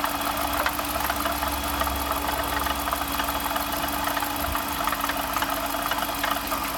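Steady idle with a light, fast metallic rattle and faint ticking over a constant hum; rattling under the hood, cause not yet pinned down.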